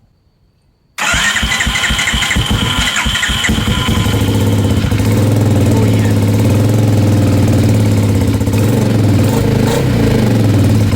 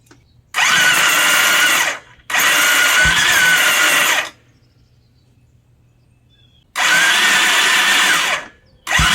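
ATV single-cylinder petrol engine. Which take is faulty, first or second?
second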